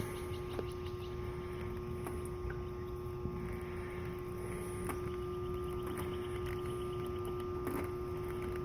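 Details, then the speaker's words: Goodman AC condenser with a CK L6P compressor on a no-cooling call: steady electrical hum as the compressor tries to turn over but never catches or runs up; compressor fails to start. "there it is she don't want to turn over so let's see what we got"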